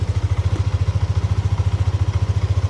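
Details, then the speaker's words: Yamaha Aerox (old model) scooter after replacing faulty CKP crank position sensor and clearing fault code: cold idle at 35 °C, steady even low thump about ten beats a second, no knocks or misses; idles cleanly. "suhu 35 derajat, masih dingin ya."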